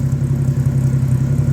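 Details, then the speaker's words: 1976 Dodge D100 with a new exhaust and muffler, plus a '92 brake booster and master cylinder (vacuum up to 16 from 12–13): low, even, mellow burble with no ticks. It runs well through all four gears. Normal exhaust tone. "the muffler gives it just a nice tone I've had it out for a blast ran it up through all four gears it uh works really great"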